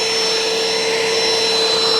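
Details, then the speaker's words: Bissell ProHeat Essential carpet cleaner (120 V, 6 A) running: steady high airy whine with a couple of fixed tones, motor sounding strained; suction is present but weak, and the unit is also leaking. "got suction it's not a it's not very fast I can tell you that"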